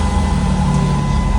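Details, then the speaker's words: Demolition derby project van, V6, 202,000 miles, instrument cluster fixed, restarted after reconnecting wiring following a stall; low, even idle hum with a faint steady whistle the owner finds interesting, no misses. Normal idle. "It stopped running on me. But she runs again."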